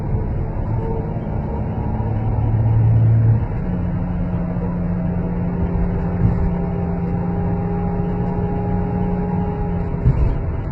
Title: Chrysler 300c Weird Whining Noise